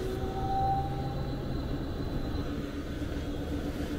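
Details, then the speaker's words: HVAC variable speed blower motor just replaced, running in fan mode; smooth, steady airflow rumble with a faint even hum and no rubbing or ticking; normal blower operation. "All connections, all the harness connections are made. Beautiful. That's how it's supposed to sound."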